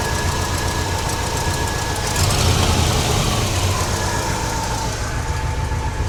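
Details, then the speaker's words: 1969 GMC truck, small-block V8 with a used alternator charging near 13 V, idling with a faint steady whine over the exhaust note from an alternator belt cranked too tight, before it is loosened. "I'm going to loosen that uh alternator a little bit just for the sake of it's really tight."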